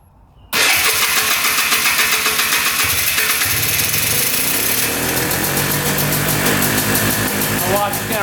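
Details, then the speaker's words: 2001 Polaris Xplorer 250cc ATV with replacement engine, first start on 40:1 premix: fires and climbs to a high, buzzy rev that won't settle, then winds higher; runaway high idle, suspected air leak around the carb boot, not confirmed. "still sucking in the air from somewhere. You could hear it rev to the moon again."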